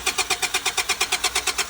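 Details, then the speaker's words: Auction vehicle said to have been running recently: steady starter cranking at about nine even pulses a second with no firing or catch; suspected not getting fuel, unconfirmed; crank, no start. "Doesn't sound like she's getting any fuel."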